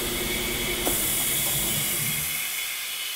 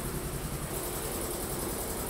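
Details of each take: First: New Polar Air Industrial Plus 7.5 HP quiet air compressor (Eaton Compressor), first startup during installation: constant hard hiss over the running compressor as air blows straight out the open front drain port, auto drain not yet fitted. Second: New Polar Air Industrial Plus 7.5 HP compressor (Eaton), 120-gallon tank, first run after installation: loud steady drone with even low pump pulse, no knocks or audible leaks; building pressure normally.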